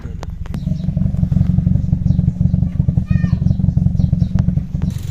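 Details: 2015 Toyota Vios (NZ engine) with muffler, no trouble codes, uniform cylinder readings, reluctant to rev, heard at the tailpipe: low idle with irregular puff-and-pop about three per second and shaking; misfire suspected, plugs, coils, throttle body to check.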